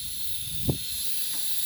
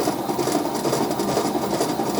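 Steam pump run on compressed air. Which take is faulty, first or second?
first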